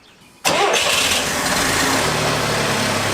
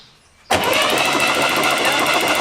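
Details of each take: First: 1966 Barn-find Corvair being revived after supposedly about 20 years parked: catches and roars, then runs unevenly with surging, sagging pitch, sometimes loud and making power, other times not. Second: Barn-find Chevy Corvair being revived, new ignition parts, spark plugs removed: starter spins engine with smooth, even whir, no knocking, clatter or binding; turns over freely, healthy internally, normal cranking.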